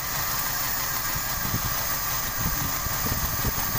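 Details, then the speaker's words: Toyota Kijang Grand 5K/7K petrol engine idling uneven and limping, RPM abnormal, from leaking distributor vacuum line drawing air; blocking the leak restores normal idle, replacement recommended. "Suaranya agak pincang, agak kurang normal ya langsungnya. Apabila papi tutup ini, dia akan normal."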